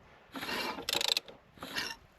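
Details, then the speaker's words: Peugeot 405 Mi16 being restarted after sitting, crankshaft turned by hand without spark plugs: scraping bursts then a quick rattle of clacks as it binds, lets go and binds again; timing belt checked in place, cause unknown. "Alors, il tourne, il bloque et il lâche et claque."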